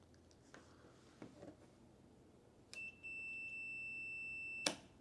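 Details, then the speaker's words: Mazda NA Miata cruise control switch, multimeter continuity test between the ground and set/coast wires in the set/coast position: a single steady high beep of about 1.5 seconds. The switch is fine. "If I turn the switch towards the resume position, you can hear there's continuity."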